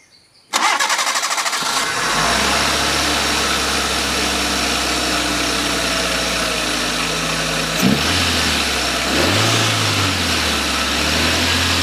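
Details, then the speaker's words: Maruti WagonR with a no-start after running out of petrol, key cycled several times to prime the pump: brief crank, quick catch, then a steady even idle with a blip of revs; starts cleanly, no other problems. "അങ്ങനെ ഇപ്പോൾ നമ്മുടെ വണ്ടിക്ക് വേറെ പ്രശ്നങ്ങളൊന്നുമില്ല, എല്ലാം okay ആയിട്ടുണ്ട്."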